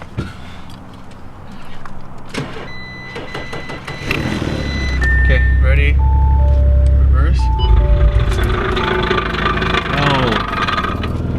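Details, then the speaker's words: Wrecked 2019 Audi RS5 bought at auction, with a possibly damaged frame rail: selecting reverse brings a loud low grinding drone and the car won't move. Busted axles or something ripped from the differential is suspected but unconfirmed. "i just tried to put in reverse and it's not going reverse just making that noise"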